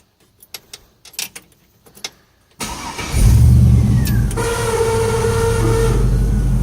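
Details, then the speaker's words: LS-swapped 1967 Chevrolet Bel Air with dual electric cooling fans from a 3rd/4th-gen F-body LT1, rarely used: a few clicks, then the fans surge on with a deep rumbling roar and a steady whine from worn bearings. "the bearings starting to go out of them so bought me a new set off eBay"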